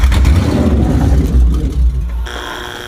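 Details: Ford Crown Victoria 4.6 DOHC with low compression, running on the allegedly bad ECU: loud, uneven roar that surges and stumbles, then cuts off abruptly; rough running.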